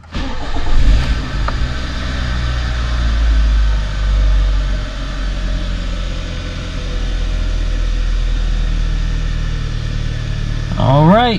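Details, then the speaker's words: 2013 Kia Optima 2.4L GDI (replacement engine) after knock sensor replacement for code P1326, codes cleared: a quick crank catches cleanly and settles into a smooth, even low idle with no misses, chirps or bucking; normal start and idle. "she's quiet right now she's not hesitating she's not chirping she's not bucking we might be good"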